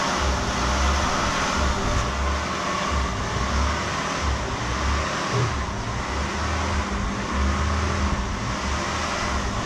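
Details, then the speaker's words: 1999 Acura TL after radiator replacement: low idle drone swells and drops roughly every second instead of holding steady; surging idle, owner suspects the idle air control valve and plans to clean it. "if you crank it up you get idles up and down pretty hard"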